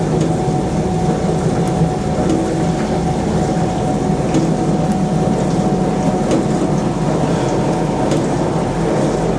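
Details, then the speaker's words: Proline PDW041 countertop dishwasher (230 V, 1280 W), maiden wash after cleanup: steady, even rushing spray with constant low pump hum, slight shaking, no grinding or surging; wash pump sounds powerful and healthy. "Whoa! Whoa, that sounds powerful."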